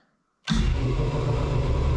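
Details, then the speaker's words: Shop air compressor switched through a 40 A contactor with a 120 V coil, tied to the light switch. After a quiet moment the pump kicks on cleanly and settles into a steady, deep, even thumping with no strain; healthy compressor. "and yep and if i flip the lights off it should go off i will say it's not that much quieter but it is also out of the corner and it's on the light switch which i wanted to do for a while"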